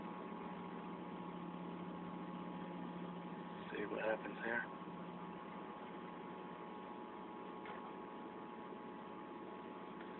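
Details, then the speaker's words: 1993 Mazda Miata after replacing Denso fuel pump with Walbro: steady low electric pump hum under smooth even idle, no stumbling; idling better than previous ~500 rpm, sounds healthy. "I hear the fuel pump working I'm not sure if it's supposed to be a constant home or not but I'm gonna find out"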